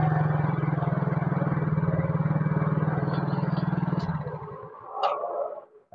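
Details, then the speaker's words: Yamaha Mio GT single-cylinder scooter with faulty idle speed (ESC) sensor: steady putter briefly, then sags almost to a stall and picks up again; unstable hunting idle before the manual sensor fix. "Mabur-mabur tuh dalam arti dia gasnya tuh enggak stasioner, enggak stabil ya. Dia kan gede, kan kecil, kadang gaung, raung."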